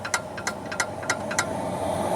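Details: Sharp light clicks about three times a second over a steady hum: a clunk from a loose nut on a sway bar link only a few months old, after the shop had already replaced both front shocks and the sway bar links without curing it.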